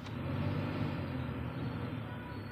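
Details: Maruti Suzuki Swift AC blower motor, left side, refitted after being removed over noise and weak airflow: a steady, even low whir with no rattle or scraping. Normal blower motor operation.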